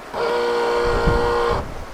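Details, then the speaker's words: Volvo 480 rear wiper motor with temporary wire feeding constant 12 volts to red wire: steady whir through full wipe sequence then stops; motor works normally, fault is in boot wiring harness. "the motor is running its full sequence. So that would be doing a full wipe, so that's good."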